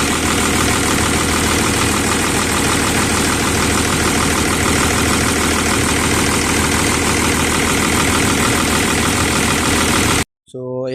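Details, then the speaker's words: Volvo EC210BLC excavator D6E diesel after bleeding the fuel system: even diesel clatter at constant speed, no hunting, misfire or surging; normal idle. "So umandar na mga boss. So ayan. Kailangan pala talagang mag-bleeding dito mga boss oh. Kailangan mag-bleeding para umandar yung makina natin."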